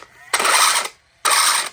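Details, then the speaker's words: Traxxas Slash 4x4 just fitted with a new Velineon system, first power-up: two short bursts of harsh, high, gritty whirring. The motor is pressed on too far, making the gear mesh too tight; it sounded better once the motor was moved out. "doesn't sound good but the motor just pressed on too much"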